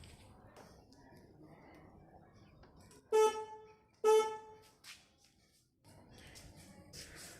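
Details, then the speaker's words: 2016 Suzuki Access 125 scooter with aftermarket horn mounted inside the front panel: two short blasts with a thin, reedy, quiet tone and little punch; horn is weak and sounding lower than it should, before repair. "इसकी साउंड थोड़ा कम आ रही है, तो यही अब हम ठीक करने वाले हैं।"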